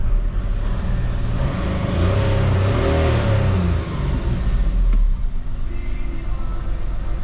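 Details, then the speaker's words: VW Polo 1.4 TDI three-cylinder diesel after an upgrade to 1.9 injectors, pulling away outside: a steady low drone with no knock, rattle or misfire, running very well. "super bine, pe cum se aude."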